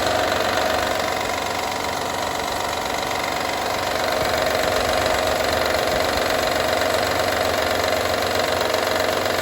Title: Honda Odyssey 2012 - rattle sound